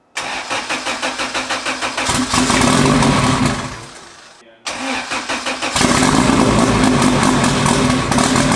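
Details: Honda Civic, freshly built LS VTEC turbo engine, new injectors, new plugs and new tune: cranks, catches, stalls, restarts into uneven stumbling idle, running slightly lean; misfire at idle, cause unconfirmed.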